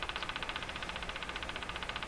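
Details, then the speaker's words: Crosley 43FB battery farm radio during alignment, on the AM band with the volume turned down: sharp, regular ticking about twelve times a second over steady hiss; an intermittent tick has returned, cause unknown. "AM band, oh my gosh, this ticking has come back."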